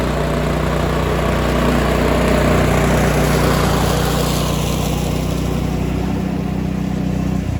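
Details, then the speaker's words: Cub Cadet 2146 lawn tractor, 14 hp single-cylinder Linamar engine, revived after 3 years sitting, warm idle before oil change: even steady low thrum, regular firing, no misses, knocks or hunting; normal idle. "We've let the engine idle for a little bit, let it get nice and hot."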